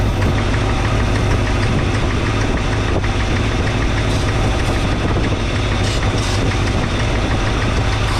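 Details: 1962 Chevrolet C10 V8, just started, idle raised, timing and carburetor not yet set, thermostat still closed; low lumpy idle with uneven pulse and faint irregular knocking; owner suspects one or two bad old spark plugs. Rough idle.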